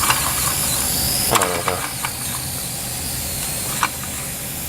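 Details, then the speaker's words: Small steam engine fired on solid fuel tablets after pressure raised: constant steam hiss with a few irregular weak chuffs, never settling; engine reluctant to run, owner suspects something in the steam line. "it hasn't been quite happy recently I'm not sure if there's something weird in the line"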